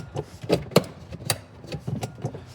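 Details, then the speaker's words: Toy police Charger car, batteries showing full: sharp uneven clicks about three a second, the fuse trying to reset itself repeatedly, so the car won't run; owner suspects blown fuse. "So you hear that clicking sound. That means I think it blew a fuse,"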